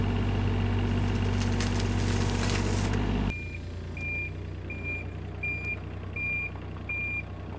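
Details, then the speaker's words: Excavator driving forward or backward: a sharp high beep about every 0.7 seconds over a low diesel rumble, the travel alarm sounding; the owner suspects a fuse could be pulled to silence it. "I'm with you need to get rid of that beeping noise it does it doesn't matter if I go forwards or backward it beeps"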